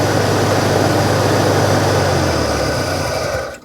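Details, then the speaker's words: 1983 Mazda RX-7 FB phase 2 rotary barn find, sat about 30 years, running on fresh petrol through a makeshift fuel supply: even, buzzy rotary idle with steady beat, no misses or knocks, before shutting off; smooth, healthy idle. "all right listen to how smooth that is that's really smooth really smooth"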